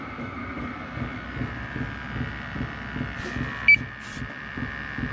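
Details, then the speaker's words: Chinese diesel heater in a truck rig, hot at normal operating pace during CO test; steady fan whir with soft even pump ticks a few times a second slowing to hold even heat, no surging, running normally. "It's getting to what I call normal operating pace. So it's slowing down, and it'll keep a nice even heat."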